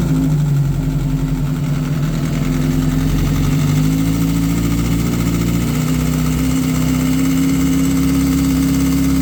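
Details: 2008 Kawasaki ZX6R with aftermarket headers, idling: fast light ticking over a steady four-cylinder idle, from the cam chain tensioner (CCT) area; slack cam chain from failing tensioner, before repair.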